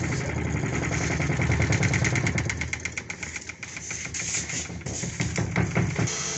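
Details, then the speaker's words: Home spin dryer motor running with a quick, uneven knock of about three per second over its hum. The cause is a loose 8 mm bolt on the shaft clamp. "Shaft के ऊपर जो इसका clump वाला system लगा है उसका जो आठ का वोल्ट है वो लूज हो गया था जिसकी वजह सेय आवाज आ रही है"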